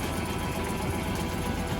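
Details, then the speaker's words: Suzuki 9.9hp outboard idling roughly with an uneven, lumpy beat, shaking as if on one cylinder; misfire from spark plugs fouled by gunk after using Techron Marine fuel treatment, earlier also shaking at 3,000 RPM. "It is shaking. It's like running on 1 cylinder."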